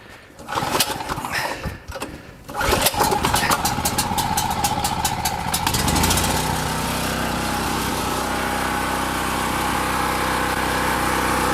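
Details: Champion 4000-starting-watt petrol generator, a curb find previously reported not to run and with a rebuilt carburetor, on fresh non-ethanol fuel with choke on: a few pulls and cranks, then it catches and settles into a steady, even drone with no misses or surging.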